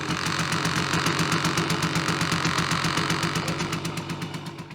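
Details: Simson S51 two-stroke moped at idle: a crisp, even metallic rattle, about four clicks a second, from the throttle grip, whose grip tube had unusually much play.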